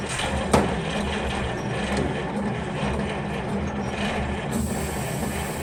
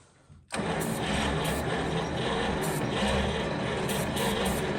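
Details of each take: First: 1940 Cadillac 346 flathead V8 barn find started on ether after about 20 years, no exhaust fitted: loud open-pipe chuffing evenly at fast idle, swelling when revved; sounds healthy. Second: 1940 Cadillac 346 flathead V8 barn find, first start in about 20 years, cold with weak battery, no exhaust: click, then it catches and runs rough and uneven on ether, firing irregularly without settling to idle.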